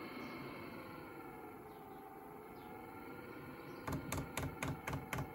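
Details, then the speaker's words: Chinese diesel water and air heater on a bench test for camper van use, starting up: a steady low hum, then crisp, even ticking about four times a second as it fires; the fuel dosing pump working normally. "that's the petrol pump making a noise with firing up"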